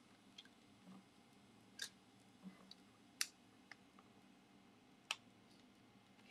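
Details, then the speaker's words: 3D printer extruding PETG filament left for months in humid air: scattered sharp pops every second or two from moisture boiling off in the nozzle, showing the filament is still undried. "I hear the popping so this is clearly undried filament still okay can you guys see that"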